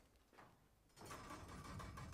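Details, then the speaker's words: SGS / U.S. Pro 72-inch stainless steel tool chest being rolled away from the wall: tinny metallic rattle and ringing over the caster rumble. "but it does have one annoying issue. When you move it, it rattles."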